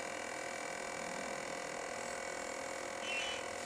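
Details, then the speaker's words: Ultrasonic cleaning tank of an automotive fuel injector cleaning bench: a steady, thin high-pitched hum with no low rumble or level change as the tank vibrates during cleaning; normal operation. "Esse barulho é porque a cuba está vibrando. Então ela faz esse processo, os íons ultrassônicos vão fazendo com que essa sujeira fique alojada sempre embaixo, no fundo da cuba."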